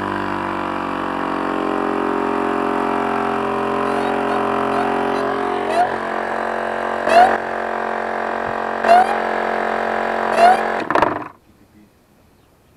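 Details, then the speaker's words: BMW injector cleaning without removal, testing return-line check valve with carb cleaner: electric fuel pump whine with sharp clicks as pressure builds, then the 4 kg/cm² relief valve audibly opens; normal. "клапан обратный четыре килограмма слышно было как он открылся"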